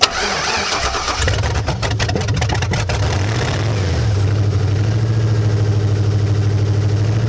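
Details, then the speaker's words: 2006 Chevy Tahoe 5.3L Vortec iron-block V8, 200,000+ miles, sat for a while: cranks briefly, catches and settles to a steady, even idle with no knock or misfire. Good oil pressure, runs all right. "It's got good oil pressure. Seems to run all right."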